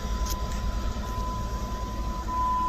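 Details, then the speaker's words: 1999 Jeep Grand Cherokee, unstarted over a year, crank-no-start fixed by replacing crank position sensor: low, even rumble with no misses, knocks or stumbles; smooth healthy idle. "that's weird it totally runs well uh too bad this jeep had to sit around for a year and and uh just for such a small easy component 35 bucks um but hey this thing sounds beautiful"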